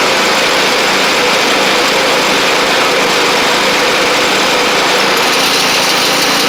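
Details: Sabre riding mower driving along after drive belt, blades and head gasket replacement, about 32°F outside: steady, even engine drone, no knocks or misses. Smoke is residual oil from the old head gasket burning off. Normal running.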